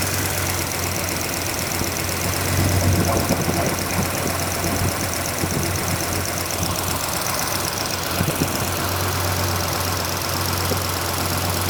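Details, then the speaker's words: Freshly restored car's engine idling with belts slightly loose while timing and valve lash are checked: fast uneven ticking over idle from the open top end as one rocker arm chatters, lash needs setting. "Oh my. Okay, that one's shattering."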